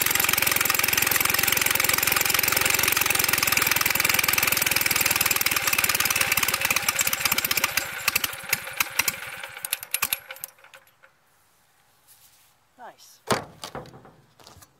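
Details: Standard Twin engine's first start in 40 years after sitting as yard art, with some parts remade and carburetor full of gas (clutch missing): uneven rapid firing settles into a running beat, then slows and dies after about ten seconds.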